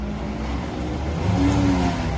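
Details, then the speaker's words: Infiniti M35 with jump starter connected, started before lifting onto ramp; steady low whirring under exhaust note, not the power steering; alternator suspected failing, to be replaced. Abnormal engine accessory noise. "That doesn't sound good, Nick. Power steering. That's not the power steering. That's something else."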